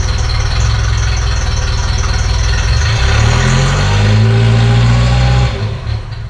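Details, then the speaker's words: Ferrari 308 after restoration, before mixture adjustment: lumpy, throbbing idle shifting pitch midway then dying; engine runs too rich (too much fuel) and also leaks oil; mixture screw turned counterclockwise for less fuel afterward. "Biggest problem is the fact that it's leaking oil, but also it is too rich. It drives too rich, there's too much gasoline."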